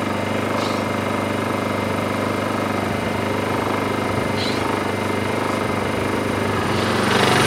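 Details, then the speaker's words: Honda EU2000i inverter generator with Eco Throttle, saw switched on as load, saw about 15 ft from generator; steady drone climbs in speed as load comes on, quiet — normal rev-up under load. "when we walk away from in the generator I'm probably now about 10 ft away if you walk um maybe 20 ft away um it's barely noticeable at all"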